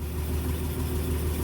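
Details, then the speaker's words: Ford truck six just started before warm-up, after an oil pan gasket fix for oil leaks, running 15W-40 diesel oil: smooth, deep, even idle with no knocking or ticking; sounds much healthier, motor actually quiet. "yeah right that sounds so much healthier sure wow no the motor is actually quiet"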